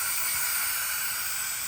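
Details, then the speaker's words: John Deere 525E mower, 24 hp Briggs & Stratton V-twin ELS, leak-down test: steady high-pitched hiss of compressed air escaping, 60% leakage on the second cylinder; blown head gasket. "Now you can call your customer and say, "Hey, you need a set of head gaskets before you can test anything else out. I mean, that is obvious head gasket."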